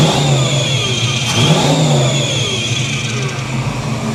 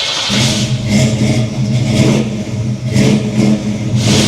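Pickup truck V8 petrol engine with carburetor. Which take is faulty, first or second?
second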